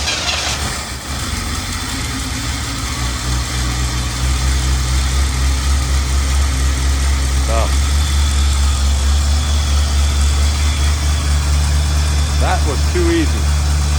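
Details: 1984 Corvette 350 converted from Crossfire injection to Edelbrock carburetor and intake, first start, front on ramps: catches and settles into loud, low, lumpy idle with uneven beat; rough running, carb likely not yet adjusted.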